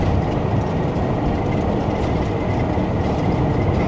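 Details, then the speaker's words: Mobilvetta motorhome at 1,512 miles while driving, overhead roof light not sealed; loud constant rushing roar over road rumble; finding: wind noise from unsealed roof light. "so the overhead roof light wasn't sealed and it was making this noise as I"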